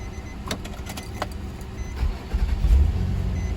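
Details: 2004 Nissan Maxima after crank-no-start/hard-start repair (connector reinstalled, codes cleared), repeat restart: brief clicks, engine catches almost at once and rises to a steady healthy idle; normal quick start.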